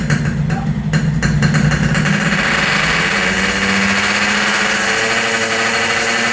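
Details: Yamaha RX King two-stroke after repairs for compression loss (worn right crankshaft seal and O-ring, resurfaced block, fixed head leak), test start while tuning air screw: fires and settles into steady crisp buzz, even revs, no knocking or rattle.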